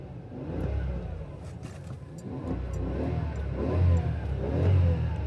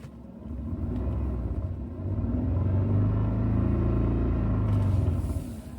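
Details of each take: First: Toyota Century V12 in neutral after a torn transmission mount was replaced: revs rise and fall evenly with a deep steady rumble, no knocks or clunks; just normal engine noise. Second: Toyota Century V12, idling stationary: deep uneven rumble and droning shudder from underneath pulsing about four times a second; completely split transmission mount letting the gearbox bounce and shake.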